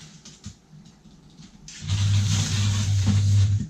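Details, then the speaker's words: 1:64 AFX slot car, possibly not an original 440-X2, held to the track by overly strong traction magnets scraping the surface; loud steady low hum as the magnets drag the motor, which gets very hot. "can just know if you can hear that it's a humming of the magnets you can just hear that's overdoing it and the matte the motor is just getting heaps hot"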